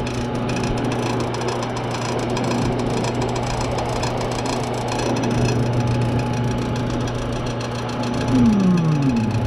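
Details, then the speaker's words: Washroom exhaust fan making noise, intermittently quiet then noisy, possibly from dirt: steady hum with rough uneven rattle that swells, blade rubbing against the plug/socket; to be cleaned. "so Ang ingay Ito lang atang saksakan oh [Musika] sumasagi sumasagi yung saksakan"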